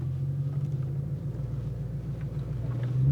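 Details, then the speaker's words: 1999 Jaguar XK 4.0 V8 after a crank-no-start fix, long unused, on a test drive: deep, steady low rumble, even with no knocks or misfires, under light load; suspected leaky exhaust makes it loud and angry-sounding. "key into the ignition yep straight away it fired up and then drive like that I'm just going to take it for a little spin just make sure that everything works"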